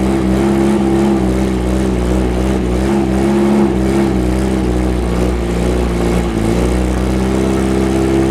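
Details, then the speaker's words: Freshly rebuilt VW 1835 Bus flat-four running on a stand, with a steady, slightly lazy drone and no misses; ignition timing thought to be a little slow (late); sluggish engine note. "give me out sound like timing must be a little bit slow timing is very close but a little slow"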